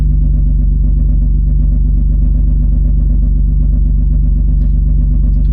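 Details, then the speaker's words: Salvage Nissan 350Z at idle: deep steady idle with an even low knock about four times a second underneath; owner fears rod knock, not confirmed. "is that is that rodnock yo please tell me that wasn't that sounded like the car was knocking um i really really hope that's not the case"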